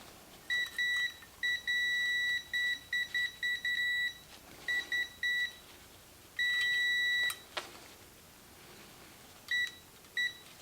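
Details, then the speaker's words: 1952 GM Autronic-Eye vacuum-tube headlight dimmer for a 1953 classic car, testing relay: tester beep cuts in and out in short uneven bursts; relay points left open long-term have oxidized, making intermittent contact and needing cleaning. "that's working as points need to be cleaned foreign contacts open and you get oxidation on the on the surfaces if they've stayed together you don't get the oxidation"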